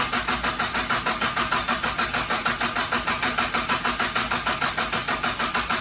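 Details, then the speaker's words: Mitsubishi Starion/Conquest G54B engine just reinstalled, before its first start: even starter cranking at about three compression pulses a second with no firing; still no oil pressure, so cranking continues to prime it. "All right, nothing yet. So I'm gonna keep cranking her until we get some oil pressure, and we will take it from there."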